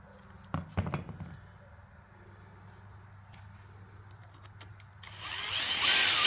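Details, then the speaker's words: 1968 Cadillac Sedan DeVille front power seat gearbox, removed from the seat, after greasing and soaking the bushings with WD-40: a few loose clunks, then a high whir that climbs smoothly and evenly; the gearbox now turns freely. "oh wow that woke it right up that's gorgeous okay so that's The Tick Ticket is to get those bushings freed up"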